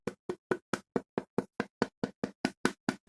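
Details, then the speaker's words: Land Rover Defender headlight tapped with quick, even finger taps gives a hollow, buzzy knock, showing the lens separating from the reflector. "they do it means that the lens is separating from the reflector on the body so luckily I had another headlight in my garage so I'll be fitting that one"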